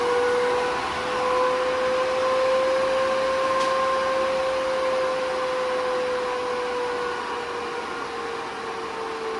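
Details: AC Infinity variable-speed garage vent fan turned up from its lowest setting to speed five: steady loud airflow roar with a constant hum near 500 Hz, 'like a jet engine'. It runs normally at high speed.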